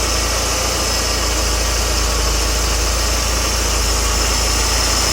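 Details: Mercedes CLK W208 M111 200K/230K with Eaton supercharger, first test after fitting a modified compressor pulley: steady idle with an even beat and a faint constant high blower whine; runs smoothly, nothing abnormal.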